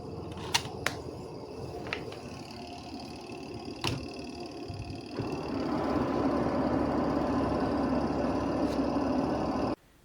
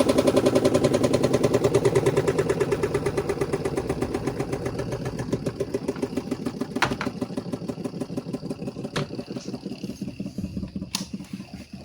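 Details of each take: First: Washing machine spin dryer after removing wrapped cloth: after a few handling clicks the drum spins up to a smooth, even hum, no thumping or rubbing; normal spin after repair. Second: Washing machine spin dryer makes loud rapid clunking, about three per second, audible even from outside the house, fading as the drum spins down; cloth wrapped around the lower spin shaft, still noisy with the portable cover removed.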